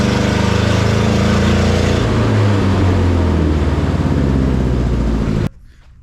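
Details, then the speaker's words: Neglected forklift started after sitting, hydraulic oil just topped up. The engine note keeps climbing on its own with a rough pulsing, then cuts out. Surging idle; owner says the throttle needs a return spring and fixes it by tightening a spring. "okay so I've got a problem with the throttle it seems to be accelerating so I need a throttle return of some sort"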